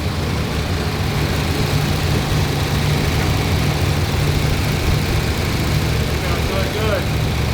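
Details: 1963 Corvette split window small-block V8 first start after sitting, oil checked: steady, slightly lumpy idle with an even low rumble, no misfires or knocks; normal idle.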